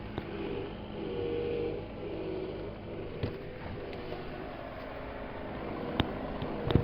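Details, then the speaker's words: Volkswagen Phaeton 5.0 V10 TDI diesel at idle, with a new original line from the pump to the steering rack; steady mid-pitched whine over the idle that fades at times; power steering pump whine, later replaced without removing the engine. "mały kłopot wyjąca pompa od wspomagania No bo rzeczywiście od pompy do maglownicy nowy w oryginale No i tak niestety sobie wyje posłuchajcie"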